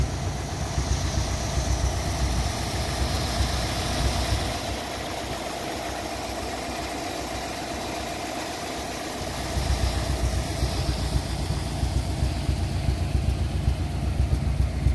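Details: 1957 Ford Thunderbird V8 that sat for 14 years, running poorly at idle before new Pertronix ignition and carb tuning: low, uneven loping pulses with a dip and recovery; a vacuum leak was later found in the brake booster.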